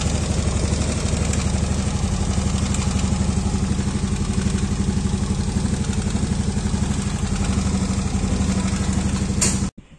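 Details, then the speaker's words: Yamaha Aerox scooter with hot engine at idle: loud, even metallic clatter about four per second, quiet when cold, worse when fully hot, gone when revved; suspected rocker arm roller or valve clearance; incorrect valve clearance. "Suaranya itu muncul seperti itu ya. Tapi kalau kita gas, suara itu hilang. Dan suara itu akan sangat kencang kalau mesinnya udah benar-benar panas ya."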